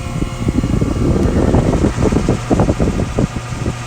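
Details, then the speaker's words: York AC outdoor unit fan motor buzzing, not turning until the blade is spun with a screwdriver, motor ruled out: low electrical hum with uneven thumping; failed run capacitor. "Alright, so that's telling me right there that it's my run capacitor. That's bad."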